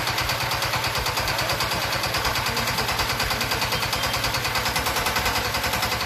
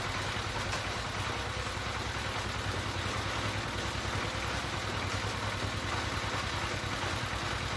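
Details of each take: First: D15 S1100 single-cylinder diesel, hunting with heavy white smoke and hard starting; chugging about three beats a second with an uneven, stumbling rhythm, traced to the fuel system and poor injection from the injector. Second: D15 S1100 single-cylinder diesel, after fixing the fuel line fault that caused heavy white smoke, uneven revs and hard starting: an even, steady thump at about three beats per second with no knocks. It idles cleanly.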